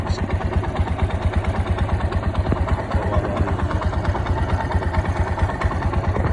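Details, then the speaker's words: 180 cc motorcycle idling with a fast, dry metallic clatter: the timing chain is very loose and the tensioner has no adjustment left; the chain is to be replaced. "क कक की आवाज आ रही है यह tensioner होता है जी ये एडजस्ट करता है चैन को अब इसकी एडजस्टमेंट फुल खत्म हो चुकी है इसका मतलब चैन जो है ना बहुत ज्यादा लूज हो गई है"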